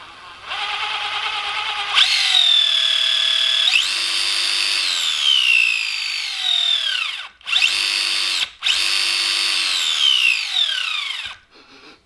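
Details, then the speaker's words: Gmade Komodo GS02 Double Cab RC crawler after drivetrain work: high, thin whine rising and falling with each throttle burst; the whine is suspected to come from the spur and pinion mesh. "be a wee bit whiny and loud but as long as it's not doing that thing with every rotation that's an improvement"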